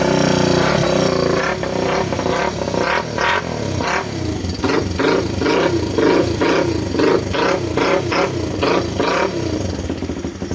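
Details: Ryuka Infinity RK125 single-cylinder motorcycle, previously no spark, now fitted with a substitute CDI box: starts cleanly and takes repeated sharp throttle blips, revs rising and dropping evenly with no misfire; normal running.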